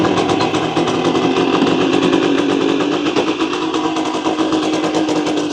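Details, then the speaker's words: 1965 Suzuki K10 two-stroke, revived after sitting 15 years, idling to warm up and free clutch plates stuck from sitting: a fast, crackly buzz with a steady tone, running evenly. "just going to LIF this warm up get some heat into the engine and then we'll start again see if we can break those TCH plates free"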